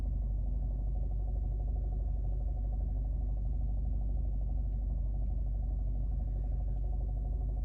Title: Alfa Romeo guiletta 2011 1.4tb Lusso Strange Engine Sound in cabin at idle